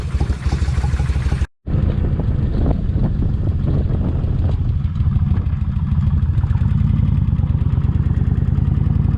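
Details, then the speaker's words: Kawasaki Vulcan 1600 V-twin on about the third day of an engine treatment meant to quiet the lifters, after an 8.2-mile ride: a steady light tick over the lumpy idle from the front rocker arm/lifter, still tapping. "yep it's still tapping I can hear that with the helmet on"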